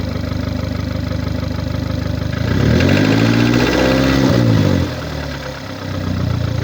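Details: 2009 VW Golf MK6, 1.4 L petrol (1390 cc, CAXA, 90 kW/122 PS), 272,900 km: rough, uneven idle with a pulsing beat that persists through a brief rev, caused by a defective cylinder head gasket.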